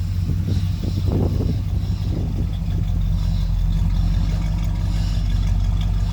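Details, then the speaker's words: 1967 Buick Skylark V8 idling after a stock rebuild (stock cam, carburetor and intake), new transmission, generic 2¼-inch Chevelle exhaust, aluminum radiator, new power steering pump: steady, even low rumble, smooth regular beat, no knocks or misses; runs pretty good, normal idle. "See, it runs pretty good."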